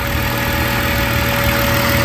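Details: BMW E36 M3 idling after a coolant hose replacement while the cooling system bleeds: a steady, even idle with a smooth low hum and no stumbles. The earlier long-running misfire has stopped. Normal idle.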